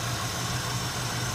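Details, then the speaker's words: Oldsmobile 307ci V8 after replacing the leaking EGR gasket that caused a vacuum leak: low, even idle with a deep rumble and no hiss or sucking noise. Problem believed fixed. "I think we got this problem rectified I think it was just a gasket was my assumption from the get-go this instance needs to be running very nicely that is a low idle and seems very performance oriented now"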